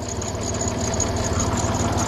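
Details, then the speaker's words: Dodge Nitro 4.0 at slow idle after repair, battery thought to be about gone: light rapid ticking valve train noise over the engine note; squeaky belt pulley also present, no check engine light. "Got valve train noise, but I think that's why they have an engine cover."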